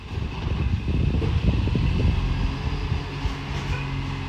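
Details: Euro6 diesel garbage truck idling and working, with a rough, irregular loud puffing chuff in the exhaust note; an exhaust leak is suspected, not confirmed.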